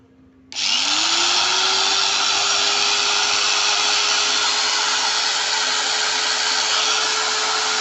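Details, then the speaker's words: New Modern M-2300B 100mm angle grinder, 540 W, 220 V, up to 11,000 rpm, switched on with no load; quick rising whir levelling to a steady smooth hum, no rattle or roughness; normal new-motor sound. "Suaranya suara mesin baru guys, jadi masih mulus ya."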